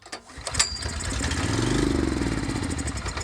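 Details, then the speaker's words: Genuine Honda GX390 fitted to an old Ariens Rocket 8020 rototiller, primed with a shot of gas down the intake and pulled at mid throttle; catches with quick, fairly even firing pulses, normal start on prime. "put a shot of gas down the hole and give her a pull oh that sounds like she's gonna run guys"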